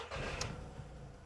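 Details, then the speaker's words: VW Polo 9N3 petrol engine idling after replacing the accessory belt tensioner pulley: a low, even hum with no belt squeal or chirp; the accessory belt now runs correctly and quietly. "On entend plus le bruit de la courroie. Donc là, on est au top. Là, je vais regarder. Et la courroie d'accessoire tourne correctement et elle est silencieuse."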